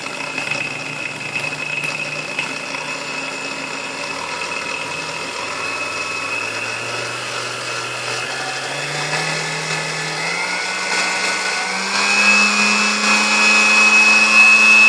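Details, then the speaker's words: Vintage Sunbeam Mixmaster Model 12 stand mixer, original finish, taped-together cord, just plugged in: the motor whines through its speeds over a constant crackling, sizzling arcing; speed-control components to be checked, cause unconfirmed. "I don't know if you can hear like the arcing going on in here, so we'll have to check the components on the speed control."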